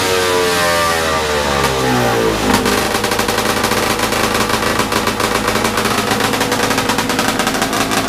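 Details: Snowmobile big-bore 277 stroker two-stroke, first full-throttle run after PTO-side seal fix at about minus 30 outside: loud crackling, steady buzz that never climbs, about 8800 rpm, roughly 700 short of the pipe's target; owner suspects clutch setup needs changing.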